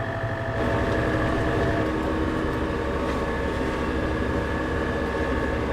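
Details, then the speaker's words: Maschio Giraffa 210 XL topper on a Case tractor after new rotor bearing fitted, warmed up: smooth even drone from tractor and rotor with no knock, rumble or grind, much quieter; normal running after repair. "Yeah, that sounds a lot quieter."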